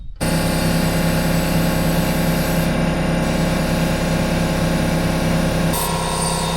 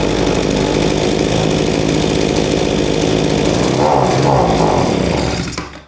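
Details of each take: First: Lawn mower running after sitting a while and being propped on one side. It was a bit hard to start because the fuel had likely run back, but once fueled it runs with a steady, even drone with no misses. It sounds fine, though it probably needs a service. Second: AMA generic leaf blower, a two-stroke, reported to bog down; the plug was badly fouled and there was no air filter. A steady buzz, then the pitch sags and fades out, a bog blamed on a faulty carburetor, which was replaced.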